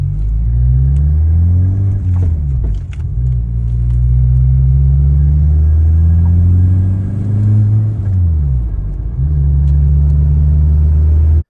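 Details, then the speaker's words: 2004 VW Jetta wagon 1.8T with the boost gauge fluctuating and popping: a deep drone that sags and stumbles under throttle, bucking and hesitating, and it won't stay at idle though it's fine on gas. The owner suspects a huge boost leak. "it started starts bucking hesitating I'm like Dam what's going on so I pull over and the whole time it wouldn't even stay idle"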